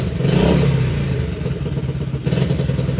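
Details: Honda XL70 K0 single-cylinder, just started in chilly mid-40s °F weather: steady low thumping idle, slightly lumpy while cold but even and settling; normal cold idle warming up.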